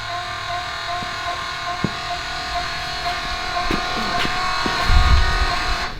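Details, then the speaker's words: Turbo race car started after a build, cranked first to build oil pressure: it catches and settles into a steady, strong idle with a clean, even beat and no knocks or rattles; normal running after the rebuild. "Oh man, how badass that started. Dude, that thing is wicked."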